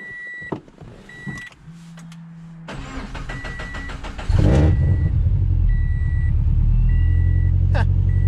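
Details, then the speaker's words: Subaru BRZ just after installing a DeatschWerks DW300 fuel pump and reconnecting the battery: cranks and catches beside a door chime, then idle wavers up and down; hunting idle persists, cause unknown. "So this is the general problem that I'm having with the car. So you see how it just rev up and down?"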